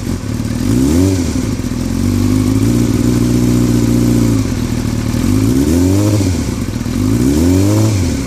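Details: 2003 Yamaha R6 with repeated rev blips, rattling since a recent trip to Europe: steady metallic clatter on the engine note; owner unsure if normal or if performance is affected; engine rattle of unknown origin.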